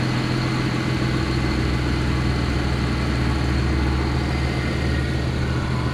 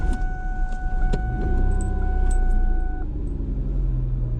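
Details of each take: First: Vehicle that stalled on the roadside that morning, restarted and left warming for several minutes; coolant reservoir found full. Smooth, steady low idle with no stumbling, surging or dying; normal idle. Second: Vehicle stalled by the roadside, no check engine light, given a starting spray shot: cranks briefly, catches and settles into a rough idle; restarts after stall, cause unknown.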